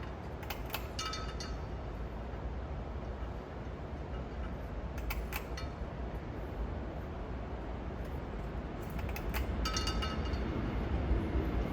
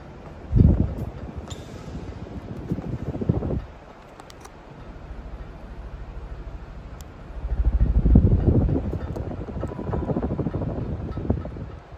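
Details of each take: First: Restored Casablanca Victorian ceiling fan on high: smooth, steady low whoosh with light clinks from the light fob tapping the center shade; the fan itself runs healthy. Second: Restored Casablanca Victorian ceiling fan on high: low whooshing drone with uneven light taps as the light-kit fob knocks against the center shade; light fob knocking against glass shade.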